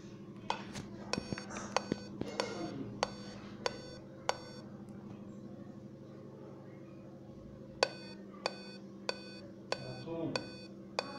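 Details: Dell Inspiron 5521 laptop at startup: sharp, dry clicks in runs of about seven over a low steady hum; repeated clicking at startup.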